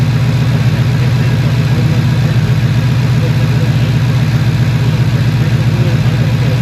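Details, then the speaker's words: 2015 Ford Mustang with P0308 misfire on cylinder 8, which persisted after new spark plugs, idling: steady, regular lope with a dropped beat about four times a second, typical of one dead cylinder from a missing injector pulse. "aquí podemos ver que está fallando el cilindro número ocho arriba cindro número 8o"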